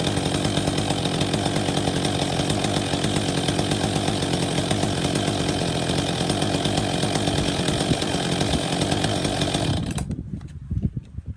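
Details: Husqvarna 262 XP chainsaw after new clutch drive sprocket and bearing fitted and greased; steady high revs for about ten seconds, then drops off and dies away, clean even running with no misfire; normal.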